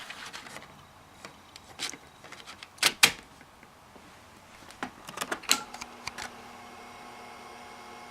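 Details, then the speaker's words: Restored USB floppy drive reading a PC-formatted floppy disk: irregular bursts of sharp ticks and short buzzes as the head steps and seeks; drive works and reads normally. "hear it reading and it works look at that so that should be all right now so the the drive actually does work as you can see it is functioning"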